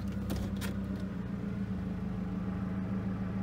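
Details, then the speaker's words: 2002 Toyota Camry LE four-cylinder, 217,000 miles, reported to stall at idle or when stopped, idling in Drive; quiet steady hum with a couple of brief clicks, no dips or stumbles, normal idle in gear with no stall yet. "well I gotta say it doesn't seem to start and continue to run so I don't know what they were talking about hmm maybe that's what happens when you put it in Drive let's find out"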